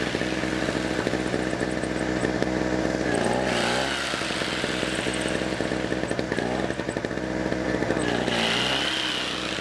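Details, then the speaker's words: Small generator bought at a pawn shop, choke on the front, running at a fairly steady single-cylinder buzz with slight surges; quieter in person than it sounds on camera, running normally. "all right so I don't know if you can hear me over the noise but it's it's actually kind of quiet um it might be loud for the camera"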